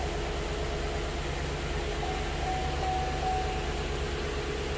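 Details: LS-family V8 (4.8–6.2 L) after oil pump replacement, started with no belts or water pump: steady, even idle with smooth low rumble, no knocks, ticks or rattles; healthy, about 37 psi oil pressure.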